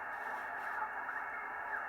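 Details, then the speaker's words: Henry Tempo One transceiver after replacing an open 250 µH choke and a blown 2.2 kΩ resistor: 40 m band receive now works, thin narrow-band audio with a station audible over light hiss; 9 MHz trap still to be adjusted. "Yeah. I can hear somebody. Yeah, so maybe that choke and resistor was a problem for a long time."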